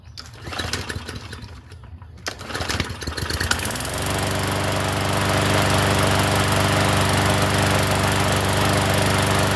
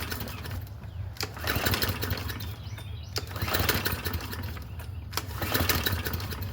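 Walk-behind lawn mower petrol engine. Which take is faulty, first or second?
second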